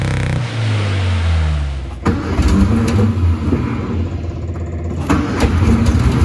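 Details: 1962 Austin Healey Sprite Mark II, long-sitting, first start with frozen carb pistons and uneven chokes: cranks, catches and stumbles, revs surging and sagging with uneven firing, barely holding on; mixture needs setting, slight smoke from oil added.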